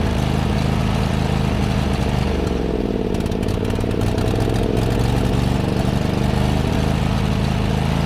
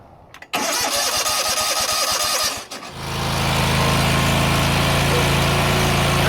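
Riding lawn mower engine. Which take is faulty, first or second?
first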